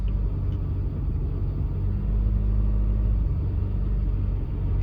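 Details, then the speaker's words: Car misfiring badly while driving; deep, uneven rumble that stumbles and sags, one cylinder dropping out; code P0303 later confirmed a cylinder 3 misfire, a recurring problem on this car that the owner expects to be an easy repair. "It is really, really misfiring. I'm just hoping for it to kick on a code."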